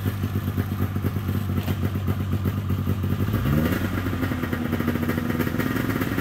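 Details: 1997 Polaris XCR 440 twin liquid-cooled two-stroke snowmobile, first start, running premix: crackly idle picks up cleanly into brief rev and settles evenly; carbs may not need cleaning. Normal running.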